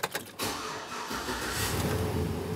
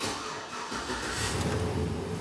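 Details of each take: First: P0118 coolant temperature sensor circuit high-input fault, before repair: right after start the cooling fan comes on and runs at high, a steady loud rush over the engine, though the engine is not at operating temperature. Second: After the P0118 coolant temperature sensor high-input fault is repaired (coolant reads 113°F, intake 77°F, engine run earlier), the engine starts and idles steadily and quietly; check engine light is off and the cooling fan stays off, as it should.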